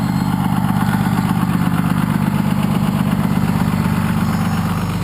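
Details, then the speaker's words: 1993 Dodge W350 with 6.2L Cummins, about 200 miles on the new motor, exhaust brake engaged: deep, steady diesel drone with a strong low rumble and firm pulsing beat, jet-engine-like; sounds good, brake working normally. "a little hazy sounds pretty good sounds like a jet engine I'd say"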